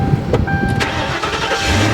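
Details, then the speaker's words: Auction car, full tank, mileage looks legit: quick crank and V8 catches at once, settling into an even idle without stumbling; clean start with no check engine light. "Look at that, fired right up. Fired right up. Not a check engine light."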